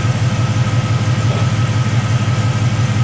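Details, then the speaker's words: 1973 Chevrolet C10 with LS swap, reused radiator, new exhaust with long-tube headers and no cats: deep, even V8 burble at steady idle, no misses, ticks or rattles; exhaust much quieter than expected, slightly Mustang-like; healthy idle. "Exhaust is pretty quiet, a lot quieter than I thought it would have been. I thought this thing was just going to be like ridiculously loud with the long tubes on it no matter what and no cats, so it's pretty quiet."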